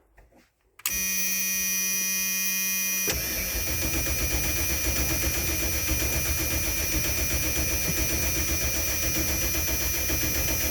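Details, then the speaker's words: 1995 Ford F-250 4WD plow truck, last on the road in 2016, around 40°F with fresh gas; starter cranks at about four beats a second on a hit of ether and never catches, pointing to no spark, an ignition problem. "all right big hit of ether in there let's see if she starts no okay we have an ignition problem"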